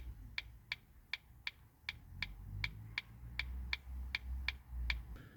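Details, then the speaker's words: Ford Focus Mk1, engine idling, indicators tested: soft light clicks about eighty a minute, noticeably quieter and different from usual; electronic beeper-type indicator relay possibly worn, to be compared with the old one, cause unconfirmed. "I don't know about you but that sounded extremely different to my ears versus what I have previously been used to"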